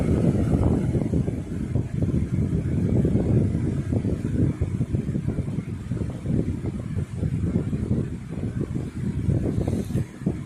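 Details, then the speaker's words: Lasko Weather Shield 20-inch box fan, heavily used for about a year, after cleaning and service, on medium speed: steady, even air rush with low hum, no rattles, ticks or wobble; no vibration, blade well centered and balanced, normal running. "Very powerful fan. Speed variations on this thing do satisfy. No vibration at all, very well balanced."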